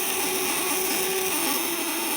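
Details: Vibrator-contact (platina) inverter with tungsten contacts, 1 kg core, rated 200/500/1000 W, on quality test before shipping: steady, high, hissy electrical buzz at an even pitch throughout; normal operation.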